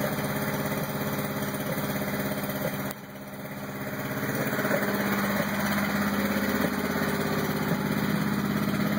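Uneven idle with an unsteady, lumpy beat around three pulses a second and a dip partway through; engine running rough, cause unknown.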